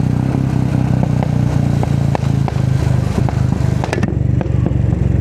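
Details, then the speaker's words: Royal Enfield Classic 350 with new custom exhaust, riding: single-cylinder thump with sharp crackling pops as the throttle closes; exhaust backfire, and an air leak is noted at the bend pipe-to-exhaust joint, gasket awaiting replacement. "Back fire ನೋಡಿ"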